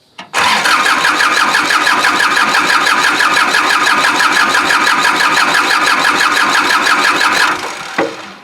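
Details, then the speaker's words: Kubota L2350 tractor diesel, water in fuel tank, lines and injection pump, bleeding injector lines: even steady starter cranking about seven seconds with no firing; no start from water and air in fuel. "oh yeah yeah you can see it and i'm smelling it that kind of feels like it's water almost and remember this injection pump's got water in it"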